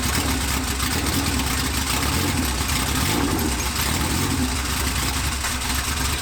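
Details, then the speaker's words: 1993 Honda Civic EG hatch, built LS VTEC (Manley rods, CP forged pistons, B16 head, GSR cams), first start on open header with old stock injectors, no turbo, plugs gapped 0.035: steady, even, loud run with no misses or knocks. "It's okay, dude. It was sounding good. I wanted to hear it. It did sound good, but I have to check things now."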